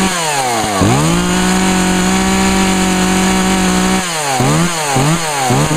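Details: 2012 Echo CS-400 chainsaw, Deep Creep-fogged cylinder smoking at first, then clearing, bar and chain oiling well; revs crisply from idle to steady high buzz, snaps back on quick blips; healthy.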